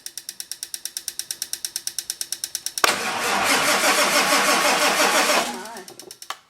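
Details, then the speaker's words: 1946 Ford with diesel engine, cool 49-degree rainy morning, in neutral: slow even cranking near three compressions a second, then a loud rushing burst but no steady idle; wait-to-start light not working, glow plugs found not working, glow plug controller relay suspected. "My wait to start light isn't working, which should be that one. But I think that is the glow plug controller, I think."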